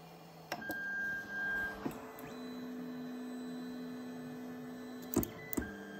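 Steady stepper motor tones step through a few pitches, then sharp clicks as the carriage meets the end stop; homing normally.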